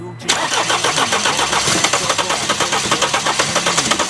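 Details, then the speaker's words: 2016 Mercedes-Benz CLS 250d with the 651 diesel engine, cranking: even starter cranking at about four to five compression beats a second that almost catches but never starts. "이렇게 걸릴듯 걸릴듯 하면서 시동이 안 걸립니다"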